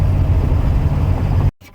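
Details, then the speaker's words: Mercedes diesel after the garage fitted a brand-new accessory belt: a low, steady diesel rumble with no whistle or squeal riding above it. Quiet belt drive after repair. "ça y est j'ai une courroie toute neuve qui fait plus de bruit trop bien"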